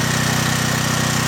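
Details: John Deere/Briggs and Stratton generator, repaired (carburetor cleaned), unloaded while checking the 220 V output: smooth, even single-cylinder beat at constant governed speed, no surging or misses; healthy.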